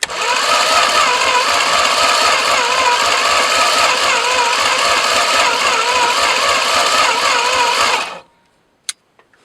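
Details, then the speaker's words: 1973 Plymouth Duster slant six that sat in a field over 20 years, cranked via solenoid with six spark plugs: strong, even starter cranking about four pulses a second with steady rhythm; compression sounds even. "that sounds like there's compression there"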